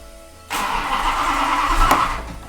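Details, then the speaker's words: Max Wedge Mopar V8 with two carburetors on a dyno, camshaft not yet broken in: about two seconds of strained starter cranking fading out without catching; no-start, owner suspects flooding, cause unconfirmed. "come on it's flooded come on every engine I get it started first shot what happened to this one"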